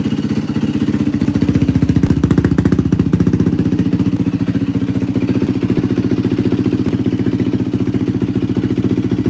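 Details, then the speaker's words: 2004 Yamaha WR450F after carburetor rebuild, pilot screw 2 turns out; crisp even single-cylinder thump at steady idle about three beats a second, no stumbling or hunting: running well. "Yeah, this thing runs tits. Holy cow. Feels pretty solid."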